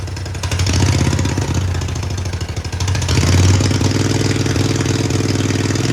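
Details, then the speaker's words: About 50-year-old Mighty Mac 8C skid steer engine, run after freeing it from seized: small twin idles steadily, then revs swell and drop as the governor catches; idle surging, cause unknown. "It's running pretty good. I don't know why it sits there and idles really good for a second and then kind of, I don't know, like catches itself with the governor."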